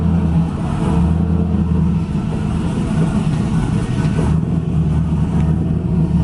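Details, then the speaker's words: 2000 Pontiac Trans Am WS6 with a BTR Stage 4 cam, longtube headers and a Borla catback, after replacing the E3 spark plugs: a smooth, steady low rumble cruising at about 30 mph and 2000 rpm, with no more bucking or surging. "one thing to note real quick about the car comment I'm going about 30 miles an hour and 25 only 2000 rpm the car does not buck anymore"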